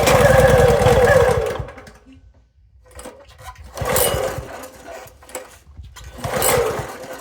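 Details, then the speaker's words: Toro SG-6 stump grinder, Honda GX200, new carburetor fitted, full choke: catches, runs rough a second or two, dies, surges again and won't keep running; it wants gas, but the cause was ultimately found to be the oil level. "So it's acting like it wants gas. It's a full choke. Still can't keep it running."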